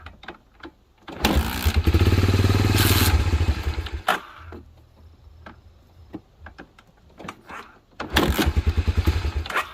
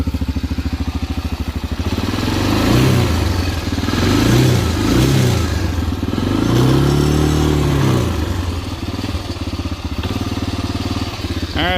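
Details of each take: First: 1987 Honda TRX250 Fourtrax ATV, sat about 10 years, temporary gas tank: single fires and chugs evenly at idle, then falters and wants to die when throttle opens; partly clogged carburetor jet suspected. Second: 1987 Honda TRX250 Fourtrax that sat about 10 years, running on a temporary gas tank after carburetor cleaning: a steady single-cylinder thump with clean throttle blips that settle back. It now idles healthily.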